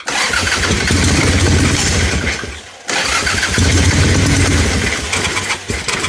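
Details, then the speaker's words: Ironhead Harley-Davidson Sportster with a backfire through the carburetor, after swapping a knockoff S&S carb for a Keihin butterfly carb: the V-twin runs lumpy with a stumbling beat and ragged pops. Timing or valve trouble suspected; the valves needed only slight adjustment. "that don't sound good at all dude I think something's up inside the bike I've got a timing issue or valve Trend I don't know"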